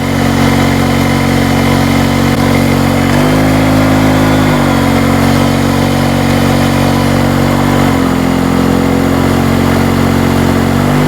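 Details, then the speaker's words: Hurricane 850W 240V two-stroke generator after the fuel was corrected to less oil and the spark plug tightened, starting nicely with much less smoke, load on low: steady drone with brief smooth speed shifts, so it runs healthy under load. "It's actually starting real nice now. Oh, more than half the amount of smoke. Just put this on low. She's working."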